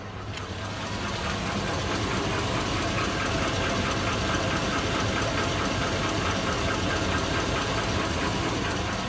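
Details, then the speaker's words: 2002 Chevy Avalanche V8, warm idle with good oil pressure: steady, fairly regular knock about three to four per second; owner suspects rod bearing, piston slap, exhaust leak or valve tick, unconfirmed. "that's my avalanche went warm that arrived bearing that good oil pressure but she's got a pretty good knock"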